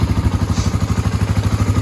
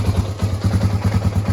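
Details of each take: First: 1986 Honda ATC350X single-cylinder ATV after idle raised, not fully warmed up: even thump at idle about three beats a second, then crisp revs rising and falling cleanly; throttle response right on, sounds more even; normal throttle response. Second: 1986 Honda ATC350X three-wheeler being refreshed, aftermarket exhaust header; slow, lumpy idle thumping about ten beats a second with a brief hesitation, idle set too low and to be raised, sounding more even afterwards.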